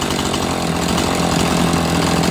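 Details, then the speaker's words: Chainsaw (E450 Rancher, 18-inch bar) idling on different fuel, owner says it probably gained 300 rpm at idle: steady, even buzzing run with no surging or stumbling. Clean, healthy idle. "perfect probably gained 300 on the idle alone"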